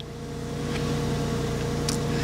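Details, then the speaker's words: 2000 Porsche 986 Boxster S, pre-facelift with dual-row IMS bearing, driven about 250 miles home. Once a roughly 2-second startup rattle fades, it settles into a quiet, even, smooth idle hum with no rattle or knock. Normal idle. "it's hard to obviously determine what the noise is once that rattle has gone away after 2 seconds or so the engine does seem very smooth"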